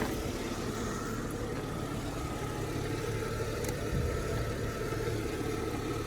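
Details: BMW E46 325i convertible, M54B25, sat two years with a running issue, new TPS and throttle body fitted, pedal sensor still to change: low idle with an uneven, wandering beat; rough idle, cause not confirmed.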